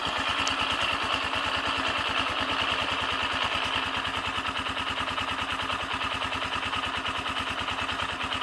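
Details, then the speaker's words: AKT TTR 200 motorcycle at idle: steady single-cylinder beat with a fast metallic clatter that disappears when the clutch lever is pulled, worse when the engine is cold; reported at second service, cause still unknown. "empecé a escuchar un ruidito y me di cuenta que ese ruido se quitaba cuando uno oprimía el embrague"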